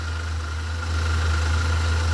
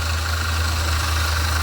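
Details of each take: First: Alternator heard through a screwdriver held to it as a stethoscope: a steady low hum with a faint even whine and ball bearings moving, no grinding. The noise being chased is not from the alternator. Normal alternator bearing. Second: V8 at idle heard through a screwdriver touched to the belt tensioner pulley: faint rapid chattering rattle over the steady idle; alternator ruled out, bearings in the tensioner pulley are going bad.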